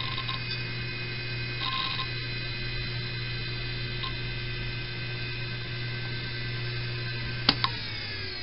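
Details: Old 4 GB hard drive from 1998, spinning: steady low hum with high whining tones and occasional ticks. It is very loud and vibrates noticeably.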